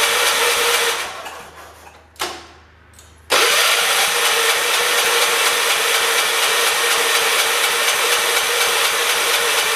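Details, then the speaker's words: John Deere 212 garden tractor with carburetor opened all the way, starter catching: engine cranks and falters, then one sharp loud backfire bang with a short fading tail while trying to start. "man that was a good backfire that tells you that frog is brave"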